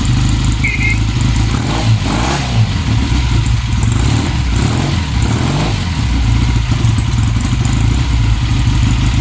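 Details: 1966 Triumph T120R Bonneville, restored in 2012 and unridden since 2020, on old gas. Kick-started after tickling the carbs for its first start in three years, it settles into a loud, fairly steady idle with throttle blips, firing evenly.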